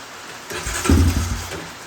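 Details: Honda Recon ATV with a new petcock, cranked with brake cleaner sprayed in as starting aid. It catches into a ragged sputtering burst for about a second, then dies: hard start. A fuel issue is known; the exact cause is unconfirmed.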